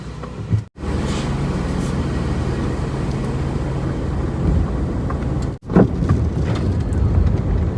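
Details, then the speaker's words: 2003 Toyota Highlander on a road test after two new sway bar links were fitted for a front clunk: even road rumble at steady speed with no knocks or clunks over bumps. Normal suspension, no clunk. "yeah i don't hear any of that funking under there it looks like this car is fixed"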